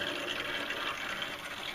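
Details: Hot water heating system bled at the return line into a bucket via a hose, boiler side closed, feed water slowly entering through the automatic reducing valve: hissing, sputtering water gush with an uneven spitting texture as air is purged from the loop.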